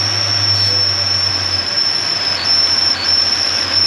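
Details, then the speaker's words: Mercedes W124 (MaxxEcu) at idle: a steady high-pitched whistle, and the engine note dips and stumbles as brake cleaner is sprayed at the cylinder's injector seal and drawn into the cylinder. More whistling is heard elsewhere too: a vacuum leak. "Põhimõtteliselt nii, kui ta selle silindri piusti tihendi vahele brake cleanerid lasi, see mootor hakkas lonkama, sest sealt kaudu ta imes selle brake cleaneri silindrisse."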